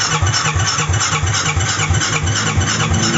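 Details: SYM Maxsym 400i scooter with spark confirmed but no start: steady starter cranking at about three compression pulses a second that never catches; cranks but won't start, cause not confirmed.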